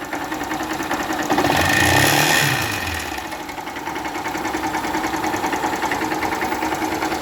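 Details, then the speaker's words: 2018 Honda CG 160 Start, before repair: hard, regular metallic knock about three times a second at idle, louder on a throttle blip; teardown found a melted piston from lack of lubrication, likely missed oil changes or low oil. "estamos com a 160 aqui start CG start 160 2018 com barulho motor e nós vamos desvendar esse mistério junto"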